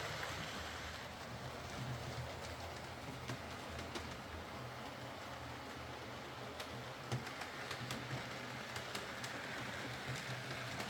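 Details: Used Hornby R2959 Thompson L1 2-6-4T running on the layout after greasing the worm gear: quiet, steady motor whirr with light rail clicks and no grinding. The earlier forward grinding was caused by too much play in the gearbox.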